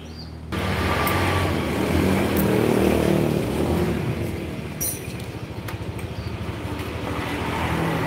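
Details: Honda Beat scooter after repair: steady, smooth engine note with even pulse, no belt squeal and no clattering knock under acceleration anymore, power good; running healthy.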